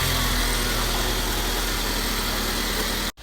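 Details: 2018 Mercedes CLA 250 after installing new battery current sensor: starts and idles smoothly with steady hum, no clicking, knocking or misses; no-start fixed.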